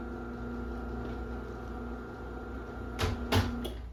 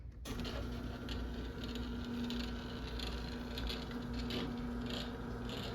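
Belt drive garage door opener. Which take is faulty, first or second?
second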